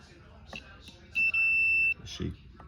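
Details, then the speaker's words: Multimeter set to continuity with its two leads touched together: a clear steady high beep lasting about three-quarters of a second with a tiny dropout, showing continuity in the circuit. "that's telling me that there's continuity in this chain."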